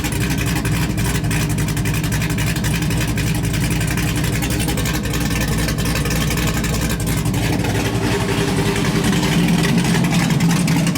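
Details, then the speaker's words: LS1-swapped Hyundai Genesis Coupe with a refreshed engine on a base tune, first runs: deep, even V8 rumble with a slight rise in revs and no knocks or misses, running cleanly. A temperature issue is noted. "So we do have this thing fired up and running now. We did get a bass tune on it and everything like that."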